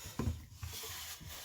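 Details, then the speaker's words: Clifton No. 5½ hand plane with a fresh blade set parallel, retracted into the sole and the sole waxed: a quick, even rasping stroke with no chatter or skipping, shaving taken from the blade centre. A clean, normal cut. "oh yeah see center right at the center blade uh nice fresh always a fresh blade does the job"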